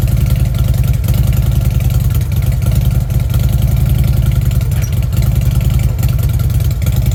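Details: Fuel-injected Harley Ultra: deep even potato-potato V-twin rumble at idle with smooth throttle blips, no misses or clatter; runs healthy.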